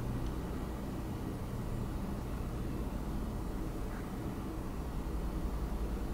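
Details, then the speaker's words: Wacom Cintiq Companion 2 tablet running OS X during a Cinebench benchmark: steady airy whoosh with no rattle or tick as the cooling fan kicks up to its highest level under load, dropping back to the second level afterward. "now it's kicked up to high gear so you can probably hear it pretty loud but then after the test immediately it goes back down to about the second fan level I'd say"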